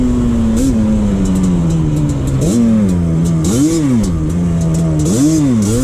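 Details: 2001 Yamaha Banshee 350 two-stroke, after fixing an exhaust leak with new clamps, tors removed and a boost bottle fitted: crisp, even buzz that climbs and drops cleanly with each throttle blip; no popping or hissing at the exhaust joints.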